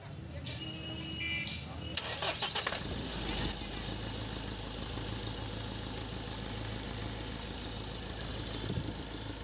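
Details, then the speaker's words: Mahindra Scorpio M Hawk diesel after full engine overhaul, fuel line bled of dirt: starter churns briefly, then catches and settles into a steady even idle clatter with no knocks; normal start and idle. "तो दोस्तों गाड़ी अभी start हो चुकी है आप देख सकते हैं और इंजन की साउंड भी आप सुन सकते हैं"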